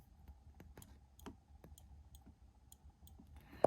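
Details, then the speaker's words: 2018 Kawasaki Ninja H2 SX front brake light switch just installed on the master cylinder with locating pin seated, no gaps: sharp clean single clicks as the lever is pulled and released; switch working normally. "So that's what the brake light switch should look like when it's installed. There are no gaps. And you can hear the switch clicking."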